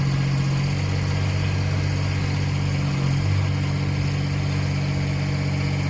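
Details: Low, steady diesel chug at an even idle with no stumbling or misfire from a Kubota BX1850 tractor just after replacing both fuel filters and bleeding air, fixing earlier low idle and sputtering; normal idle.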